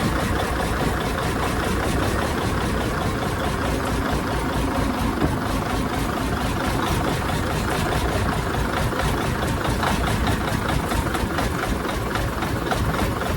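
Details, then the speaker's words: 1987 Freightliner wrecker, big-cam Cummins diesel, sat about a year and a half, started with spray: steady even low rumble with fan turning, accelerator a little sticky; normal diesel idle while warming. "there you go come on girl come on girl there we go guys we is running see the fan turning probably hear running he is a runner"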